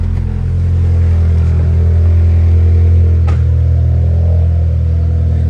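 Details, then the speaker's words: Freshly installed turbo B18 engine in a 4-door Honda Civic sleeper, first start with new tune, custom intercooler and exhaust: deep, steady, even idle with no knocks or misses; exhaust doesn't sound bad, turbo sounds spicy when revved; normal idle. "the exhaust doesn't sound too bad but I already started it and I reved it the turbo sounds like spicy sounds like it's making boost just revving"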